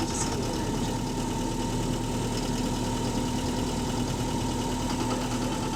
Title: Loud Engine Rod Knocking | AL HV48 On Bus Route 335 Part 5 (4)